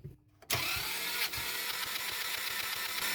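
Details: Ferrari F355 engine cranking at full throttle during compression test before engine-out belt service, right bank: steady even cranking with regular compression pulses, no knocks or misses; cylinders reading about 170–180 psi, consistent.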